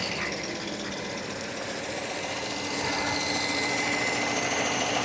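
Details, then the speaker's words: 1997 Mercedes S500 coupe (W140) V8 after a Blue Devil head gasket sealer treatment, cooling system drained and no coolant added yet: busy, slightly uneven idle with a constant fast chatter, idling higher than the day before; runs a bit rough, no knocks. "Still running a little rough. There's no knocks or anything. That's good."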